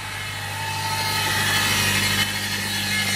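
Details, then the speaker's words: Ford Fusion Hybrid HF35 transmission (2013–2020), starting in hybrid with light throttle: a thin steady squeal like a bad power steering pump grows over a low hum; failing stator bearing, not the gear-set bearings; fixed by rebuild. "I have a Ford Fusion Hybrid here and it's got that transmission squeal that sounds like a bad power steering pump"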